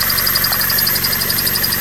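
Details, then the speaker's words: Clutch noise on a 2001 Toyota Corolla 1.8 at idle: a fast, regular high-pitched chatter, about twelve per second, over the engine when the clutch pedal is pressed; engine recently repaired, clutch not replaced; cause uncertain, only suspected. "ok sólo entonces el detalle ahorita de esto es porque meta cuando meter clutch hace ruido como en ese momento y no baje el motor no cambie el clutch"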